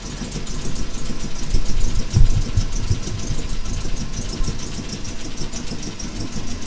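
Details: Jaguar Mk2 (budget build) straight-six, first start in years with automatic enrichment device removed: low, steady, fairly even idle with no clear knocks or misfires; normal idle.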